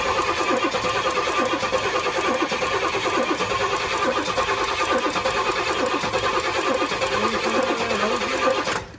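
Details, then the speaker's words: Pontiac GTO on a lift, long-stored, testing a 20-year-old fuel line hookup and priming the pump: steady cranking just over one beat a second for nine seconds, never firing; fuel not delivered, pump not primed, and spark is then seen lost. "once it runs it runs it's just hard to get it go"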